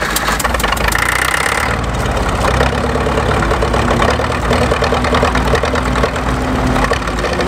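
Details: Caterpillar D4 7U dozer with HT4 Traxcavator loader, revived after many years sitting in a pasture, started after installing a new starter and solenoid. The old diesel catches and settles into a steady, even clattering idle with no misses or knocks; runs normally.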